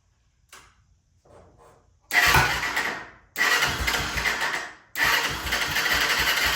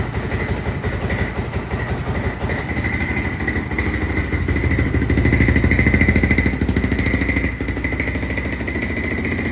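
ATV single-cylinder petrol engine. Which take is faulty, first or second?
second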